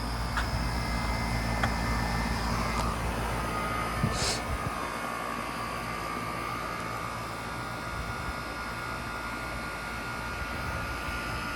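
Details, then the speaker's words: Outdoor AC condenser during home inspection after running about 15 minutes and cooling well: smooth steady low hum with even fan whoosh, quiet, no rattles or squeals, normal running. "but i want to see how does it sound oop sounds good this is what an ac should sound like nice and quiet"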